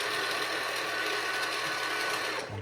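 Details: Ecovacs Deebot X1 launch edition robot vacuum with a harsh, loud grinding rattle while the motor runs, brushes and mop pads removed, brushes changed, no obvious obstruction found.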